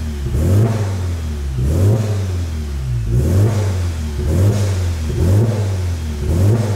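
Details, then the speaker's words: VW Golf GTI Mk7 Stage 4, EA888 turbo petrol, warm at 90°C with the fan running: heavy knocking on each rev when blipped at idle. Owner fears a serious engine problem. Cause unconfirmed. "tá batendo muito galera quando eu acelero ó vocês tão ouvindo"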